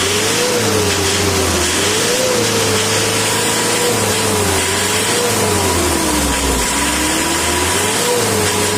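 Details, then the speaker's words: Isuzu Panther 2.5/2.3 diesel after valve adjustment tune-up (second tuning, about 5 months after first): revs up and down in smooth repeated swells, pitch following throttle cleanly, no knocks or misses; healthy engine. "itu seperti ada spring bed nya guys kalau mesin itu respon cumi-cumi darat pasti ada spring bed nya kalau ngegas ya guys"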